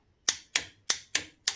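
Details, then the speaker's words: WARN winch contactor block, diagnosed as failed, bench-tested on a 12 V battery: five crisp clicks about a third of a second apart as each circuit is energized, no buzz or chatter; armature moves on both circuits; normal contactor clicking. "all we need to do just to listen to the relay make sure it's clicking first of all is to energize each of the two circuits so have a listen there we go so we know that the amateur in the solenoid is moving"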